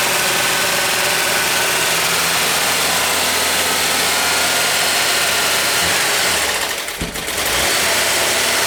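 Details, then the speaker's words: VW Westfalia, first cold start after cylinder head replacement, lifters pumped down: a fast, light ticking at about three ticks a second over a rough cold idle. It is tappy until the lifters pump up. "It's got to tap like a bastard because all the lifters were all pumped down, so I don't expect it to sound very good when it does start, but let's see what happens."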